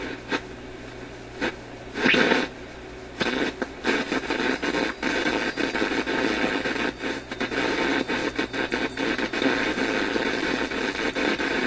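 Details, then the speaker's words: Grundig 2540 AM/FM/SW tube radio on FM with a wire antenna, after loose lead at HV selenium rectifier found; AM works well; hissy crackling garble with voice- and music-like fragments, cause unclear: distorted FM audio. "I could almost imagine somebody talking there, and the radio's producing this sound. See, I could imagine that that's music there. You could hear a little bit of a repetitive beat to it, and it's just sounding terrible."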